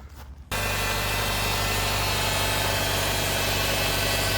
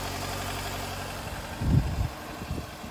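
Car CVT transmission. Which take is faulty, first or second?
first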